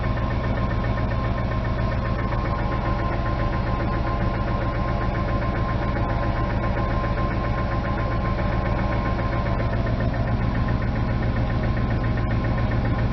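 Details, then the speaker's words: 1999 Ford F250 Light Duty V8 at idle: steady fast knock over the low rumble, bad; owner suspects rod knock but notes it could be timing chain; check engine, ABS and airbag lights on. "but it does have a knock and i'll start up so you guys can hear it it's it's pretty bad i'm not gonna lie i hate saying it has a rod knocks"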